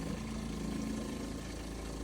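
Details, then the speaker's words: Coachmen Clipper travel trailer water pump, after rewiring, following nearly three years of sitting: a steady loud hum with a faint buzz while it primes, after which water flows with no leaks. "so I'm going to turn on the pump ready making a lot of noise it's priming"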